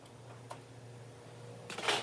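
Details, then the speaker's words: Prep cooler about 14 years old, just plugged in: low steady compressor hum that never starts, with overload clicks; possible bad capacitor or relay, failed overload, or bad compressor. "I hear that compressor humming like it wants to run. And there's that click of the overload."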